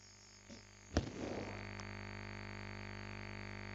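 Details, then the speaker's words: USB microphone on a laptop: a plug-in click, then a steady low electrical hum and buzz when the ungrounded charger is connected, disappearing when it is unplugged. "now I'll take out the power cable no noise quite interesting and now I take the power cable back in and the noise comes back"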